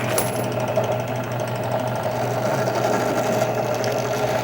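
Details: Drill press running a Kwik Trim rifle case trimmer cutting brass cases: steady mid-pitched buzz with fine rapid cutter chatter on brass, even throughout; normal trimming.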